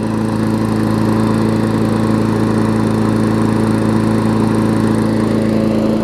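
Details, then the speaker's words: Newer Murray push mower, Briggs engine, after fixing oil in the gas and water in the oil, run about 15 minutes with leftover oil baking off: steady, even drone with no misses, surging or knocks; normal running. "runs really good so let's end this before i get dumped on by rain hopefully it does not"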